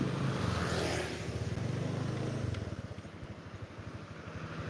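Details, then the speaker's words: Honda Vario scooter lacking power, especially uphill: idle pulses unevenly, engine speed wandering up and down without settling; unstable hunting idle. "terus langsamnya naik turun naik turun naik turun enggak jelas ini"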